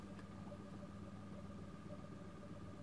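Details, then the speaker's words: 220 V induction motor on a simple open-loop controller with no feedback, speed set by a potentiometer. It runs rough as it steps faster, with an uneven, lumpy hum, a stepping buzz near 1 kHz and irregular pulsing. "steps faster and faster it runs very rough this is no feedback on it"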